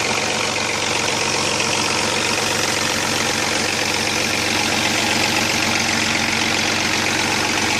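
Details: Chrysler Sebring idling: dense, tinny metallic rattle as the timing chain slaps its housing because the tensioner gets too little oil pressure from a weak oil pump; the chain later jumped and the engine was destroyed.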